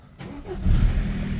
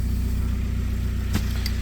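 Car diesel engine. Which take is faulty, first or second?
second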